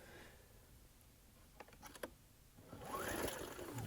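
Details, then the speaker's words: Ryobi RIG1000 inverter generator, non-running, after disconnecting low-oil shutdown sensor: scattered clicks then one rattling starter-cord pull, turns over but never catches; still no spark, original plug suspected faulty; no start. "still still doesn't have any spark i decided that i'd pull us another ngk spark plug out of my whippersnipper weedwhacker machine and i'm just going to try that spark plug just to eliminate to see if if that original spark plug might be faulty"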